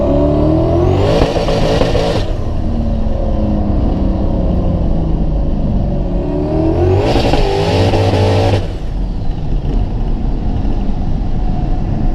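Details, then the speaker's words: Coyote-swapped Fox-body Mustang on Powerglide, boosted; revs climb then stumble and cut out in rough bursts in any gear at any boost, persisting after switching E85 to Q16 fuel and fitting Pro EFI smart coils; misfire under boost. "all right so as you can hear it just breaks up we've tried switching fuels i went from e85 to q16 still did it we thought it was a fuel issue still doing it"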